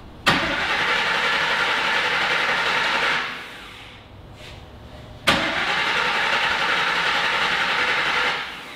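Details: Griz the wrecker: two cranking bursts of about three seconds each, a steady fast churn around 400 rpm with 35 lb of pressure, that never catches. Crank-no-start caused by incorrectly wired ignition coils.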